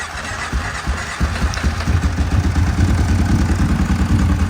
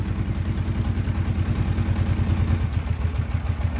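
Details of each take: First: Kawasaki KFX700 ATV twin that earlier cranked without starting; after fixing a short from a shimmed fuse, it catches into an even, lumpy idle a little over three beats a second, firing on both cylinders. Normal running. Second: Kawasaki KFX700 V-twin ATV at idle: lumpy, limping low thump, not running on the front cylinder. Electrical short found with the fuse shimmed by a wire and a dead battery. Engine running on one cylinder.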